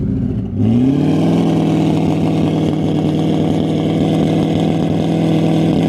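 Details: Turbocharged car after injector replacement, not yet retuned on dyno, following a cracked turbo manifold repair for boost loss: engine revs and holds a strained, uneven drone with rough stumbling under load, breaking up worse, smelling rich; suspected tune issue.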